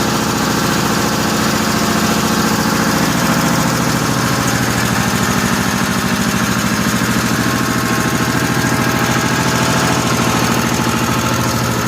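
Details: 1955 Cushman Truckster after the fuel line was blown out with a long nozzle, idle setting unknown; even, quiet single-cylinder thump of about three beats a second, steady for twelve seconds with no stumbling or knocking, no smoke, homemade EMT-conduit exhaust: normal idle.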